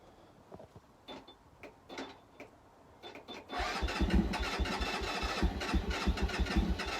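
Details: Keeway 125cc with Suzuki GN/GS engine, unstarted 18 months, new battery; scattered starter bursts then louder steady churn about three beats a second, no firing; owner suspects dry carb; later fired with choke fully on.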